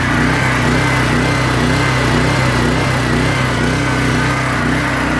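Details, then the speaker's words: PowerSmart PS44 3000W generator that sat unused since 2017, unloaded, on choke with old fuel: steady drone with a slightly uneven hunting beat around two per second; runs rough but keeps going. "I'm not concerned about bad fuel. It's running. We could always fill it up when we need it with fresh fuel, and hopefully the bad and the good weigh itself out."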